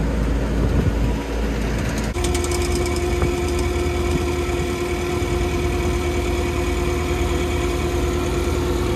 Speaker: Just hear it rattling the tank there. So, that's when I'll know it's empty. It stops making a noise. Hear it battering against the side there. Working well though.